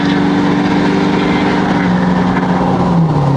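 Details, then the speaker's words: Ford 6.7L Powerstroke diesel after CP4 pump replaced with an S&S DCR pump, first test drive at half throttle toward 70 mph: strong smooth drone pulling evenly, pitch climbing with speed, no misses or knocks; healthy. "Let's show youall guys that 67 power stroke power half throttle right now guys. That's half throttle,"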